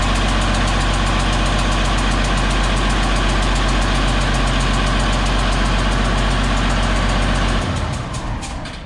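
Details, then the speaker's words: DT360 diesel freshly fitted with P7100 injection pump, first runs: fast idle with sharp even ticking puff at each firing, winding down to stop; injectors suspected not sealing, blowing compression past seats. "We shouldn't be able to hear that sound. That's why I think they're just not sealing good. It's just shooting out these freaking things."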